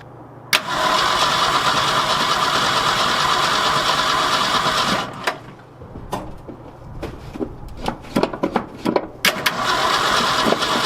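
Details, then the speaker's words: 1966 Ford F250 with 352 FE engine, parked since 1992, first start attempt on a cold February day, air cleaner off, fuel poured in, choke not working: steady cranking about three turns a second, never catches; owner suspects no fuel through the carburetor. "don't think we're getting fuel through the carburetor probably gonna have to pull that thing off and do a clean on it"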